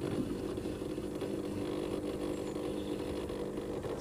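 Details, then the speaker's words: LG washing machine on a 30-minute quick wash: the drain pump hums steadily with a rough buzzing rattle while the water fails to drain; a dislodged impeller or rotor is suspected. "and here's the problem it's not draining it's noisy the pump you can hear it the water's not going down"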